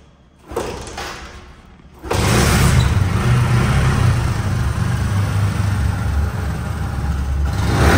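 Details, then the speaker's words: Discover 125cc used motorcycle, untouched engine, battery down after sitting, kick started on first kick: single catches and settles into steady, even putter; healthy idle, showroom-condition sound. "ঠিক আছে, sound কোয়ালিটিও একদম showroom condition sound এবং engine নিয়ে কোনো ভাবার কোনো দরকার নেই, যা দেখানো হয়েছে ওইটাই কিন্তু আপনারা পেয়ে যাবেন।"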